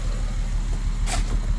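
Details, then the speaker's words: 2005 Acura TL 3.2L V6 manual idling low and lumpy with uneven exhaust pulses: constant misfire on cylinders 1, 4 and 6 despite new plugs, swapped coil packs, new relay, replaced engine and even compression; cause unknown. "This is how she sounds. 1, 4, and 6 are constantly on a misfire."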